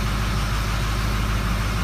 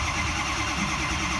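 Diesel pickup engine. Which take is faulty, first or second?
second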